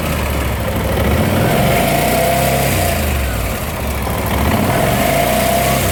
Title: Bmw C600 timing chain Noise